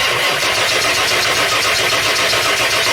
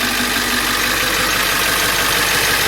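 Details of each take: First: Ford E350 7.3L diesel van with a crank-no-start complaint and a blowing ECM fuse: six seconds of steady starter cranking with no firing; won't start because the disconnected connector also powers the injection pressure regulator (IPR). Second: Ford E350 7.3L diesel van, crank-no-start with a blowing ECM fuse, after the short was isolated: cranks and starts, then a steady diesel idle with even clatter and hiss, no stumbling; fuse no longer blows.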